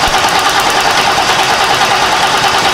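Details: 1990 Lincoln Town Car with a fuel pump fitted a few months earlier, now no-start: steady, even starter cranking with nothing catching; good spark but no fuel pressure, pump not getting power through an open circuit.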